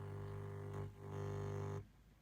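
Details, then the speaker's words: M4 Mac Mini switched off with Minisopuru dock's headphone output connected to desktop speakers; steady low ground-loop mains buzz that stops once the Mac is turned back on. "Okay, so I hope you can still hear the buzzing. It only happens when the machine is off and it's all connected."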